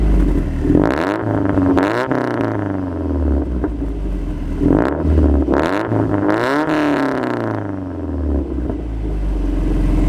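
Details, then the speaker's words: Subaru WRX on stock exhaust before an Invidia cat-back install, engine already warm: catches cleanly, then revs rise and fall smoothly with a quiet, mellow exhaust note and no rattles; normal startup and revs. "so we're gonna give you a start up in a few revs the car is already warm so it's not going to give you the true cold start effect but you'll get the idea"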